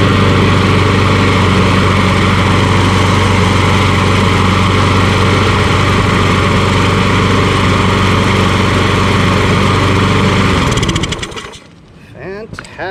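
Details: Mower built from two broken mowers by engine swap with quick carburetor clean, running with no air filter fitted: even, steady small-engine drone with a regular beat, no misses or knocks, then cuts off cleanly; runs healthy.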